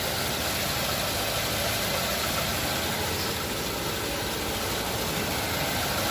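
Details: Nissan Navarra after repair of a P0304 cylinder 4 misfire. The idle is even and steady with a dense, uniform clatter and no stumbles or skipped beats.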